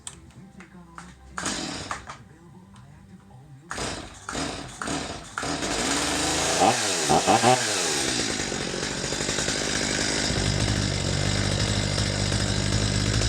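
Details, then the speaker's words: Stihl MS250 chainsaw during carburetor adjustment: after several pulls it fires, revs climb to a peak then sag and warble in a lean stutter before settling to steadier idle; fix is backing the screw to the peak then about half to three-quarter turn. "so I just shut it off real quick you could hear how that saw reached a point where it was revving at a peak and then it started to fall off the edge and in stutter"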